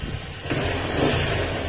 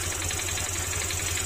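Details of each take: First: Honda Click 150 after replacing the piston pin and gasket: the engine revs up and back in even surges, clean with no knocking or ticking. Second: Honda Click 150 scooter: steady idle with light, quick knocking on each firing beat, disappears when revved, very loud after cold start; worn piston pin knock, not crankshaft.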